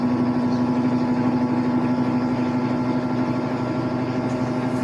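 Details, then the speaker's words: Electrolux LA15F direct-drive inverter washer after replacing the coupling and clutch, which caused loud noise when washing and spinning: steady, even motor hum with soft regular whir, no knocking or grinding; runs smoothly. "Máquina pronta, acoplamento trocado, trabalhando, embreagem trocada, né? E a máquina trabalhando perfeita aí."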